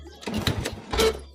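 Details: Honda Wave 100 motorcycle left unused, neutral light very dim: short, sluggish starter bursts that never catch; weak cranking without firing, a flat battery is suspected and put on charge.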